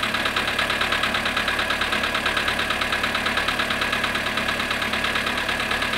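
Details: Cold start of a Polo Sedan at −7.5 °C after sitting 12 hours: a sharp, regular metallic ticking knock rides over the cold idle at an even pace, source not pinned down.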